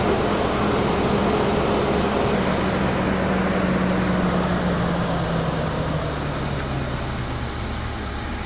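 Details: 2016 Infiniti QX80 after replacing the fan clutch that kept the fan running constantly: smooth, even idle around 1,000 rpm with steady low hum and a faint whir easing down, no roaring fan; fan issue fixed.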